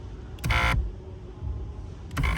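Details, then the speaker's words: 2014 Kia Cadenza driver-side power seat: two short bursts of seat motor whir with a rough grinding edge each time the seat moves, much louder than the smooth passenger side; the protective boot is rubbing on the rail. "That's the noise right there. It's going to be a lot louder, huh?"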